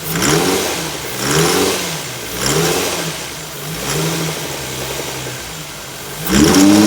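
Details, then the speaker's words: Infiniti FX35 petrol V6, blipped repeatedly from idle, rising and falling smoothly with no knock or tapping; normal running and revving. "Sound of a splendary, beautiful, lovely sound."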